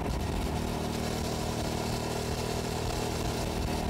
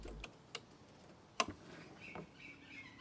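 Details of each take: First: 2006 Hyosung GT650S V-twin on a test ride after carburetor cleaning, around 100 km/h, camera mounted on the bike: a steady, unbroken drone under wind rush with no stumbles or popping; both cylinders firing cleanly. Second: 2006 Hyosung GT650S carburettor removed after two years stored: sharp irregular clicks, no engine running, as sticky throttle butterflies snap free; pilot jet blocked, old fuel residue on needle.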